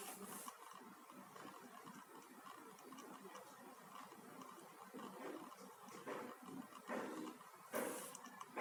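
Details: HP notebook in a quiet room: faint, uneven continuous clicking about once a second, going on for the past few days. Cause unknown.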